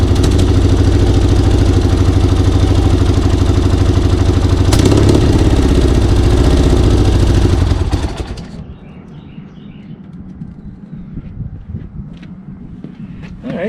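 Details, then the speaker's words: Yamaha XS1B twin running on rebuilt 53-year-old XS1 carbs with floats adjusted, unadjusted and unsynced, compression previously low: runs about eight seconds with loose, uneven, lumpy beat then dies; rough running, owner suspects carbs, timing or a bad valve. "but it runs it runs on these carbs uh they're not adjusted I didn't sink them or anything"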